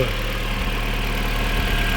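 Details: VW Golf 4 GTI 20-valve turbo, after full service and valve cover gasket replacement with coils refitted: smooth, low, even idle hum with no knocks, ticks or hunting; idles cleanly.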